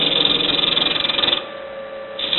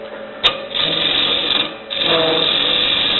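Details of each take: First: You can hear the vibrations. This is a freshly sharpened tool bit. Once you get about a 1 inch down, the vibrations seem to die out. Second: Wood lathe at about 1,300 rpm, freshly sharpened tool turning a travel mug blank with an out-of-round hole: two steady hissing cuts with no chatter, then quiet spindle hum; clean cut.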